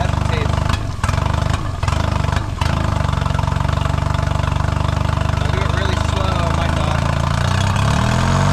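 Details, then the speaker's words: 2008 Honda 20hp four-stroke tiller outboard, first run after restoring a seized motor: uneven idle beat that stumbles as throttle is slowly opened; hesitation, carb due for cleaning and boot leaking, cause unconfirmed. "it's not quite running right."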